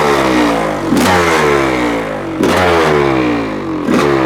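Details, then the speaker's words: 1985 Honda CR500 two-stroke engine swapped into 2007 CRF450R chassis, first start, cold windy day, choke just turned off, muffler fitted: crisp blips rising and falling cleanly, quick throttle pickup, no misses; still a bit rich and smoky but running healthy. "just turned off the choke motor sounds different with a muffler on it sounds pretty good huh it it's still a bit Rich which is okay sounds like it has a cam in it you know"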